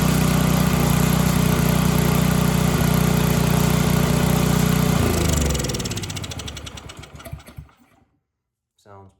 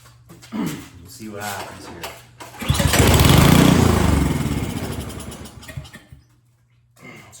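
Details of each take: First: Snowblower that wouldn't start, now primed and on choke after diagnosis: the small single runs at a steady, even patter, then winds down smoothly, showing healthy running. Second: Snowblower that won't start, spark confirmed, primed with starting fluid in the cylinder: cranking pulls, then a short burst of firing that dies within seconds; suspected fuel starvation, not drawing fuel from the carburetor.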